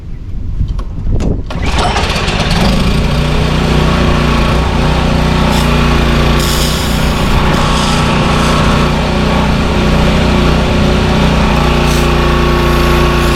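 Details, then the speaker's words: Power washer with 4-cycle lawnmower-style engine, after carburetor work, hooked to water hose: catches after brief crank, steady even drone holding speed under pump load, spraying well, unloader releasing pressure on handle release; considered fixed. "It seems to be spraying well. The engine's picking up the load like it should, and the unloader is releasing the pressure when we let go of the handle."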